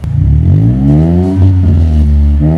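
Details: Mini Cooper Convertible with an aftermarket sports exhaust, after a fix for noise coming from the exhaust pipe. Heard from outside: revs rise and settle smoothly with a deep, even note and no knocks or rattles. The exhaust is healthy.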